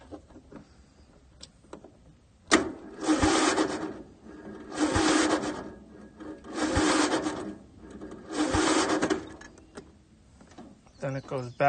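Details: Bolens lawn tractor with Briggs & Stratton engine, battery voltage checked first: four separate cranking bursts of about two seconds each, engine turning but never catching; no-start, owner unsure whether battery or starter is at fault.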